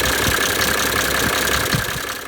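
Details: Mercedes OM603/OM606 diesel (W124/W126) after replacing the dried-out serpentine belt tensioner shock dampener that caused a loud clacking racket: smooth, even idle with a soft steady hiss and no belt-drive clacking.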